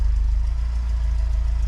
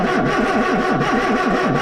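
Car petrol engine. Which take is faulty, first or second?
second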